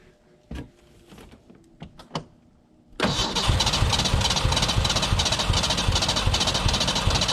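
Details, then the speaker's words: 1991 Ford Ranger STX abandoned for years, after reinstalling the fuel filter system and priming: loud uneven chuffs near three a second, trying to fire but never idling. Fuel, air and spark present; timing or computer fault suspected. "it is right there it wants to so bad i don't want to accept the feed on this but i'm really starting to think it's probably a computer problem"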